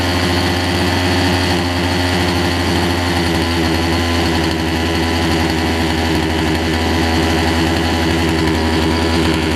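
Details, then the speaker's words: Poulan Pro 18" two-stroke chainsaw, warm: steady even buzz holds speed without surging or dying; runs properly, a little smoky. "all right so that's good it's a little smoky but there's a run it a little bit bar and chain oil in it already"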